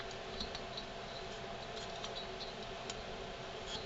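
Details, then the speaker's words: Stihl MS290/310/390-type chainsaw turned slowly by hand: faint uneven ticks of crankshaft ball bearings slapping together after the plastic bearing cage failed; fix is new seals and 6203 C3 bearings. "but you can hear the little ball bearings slapping against each other and they should not be able to touch each other as it rolls over"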